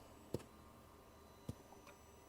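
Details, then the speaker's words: 2018 Mercedes Sprinter 3.0 L, scan-tool intake port shut-off test: sharp irregular clicks about a second apart as the swirl motor strains without moving; intake manifold flap suspected stuck, not confirmed. "I don't know if you guys can tell I can hear the the swir motor is trying to move listen it's like the swell motor is trying to move so I think the flap in the intake manifold might be stuck"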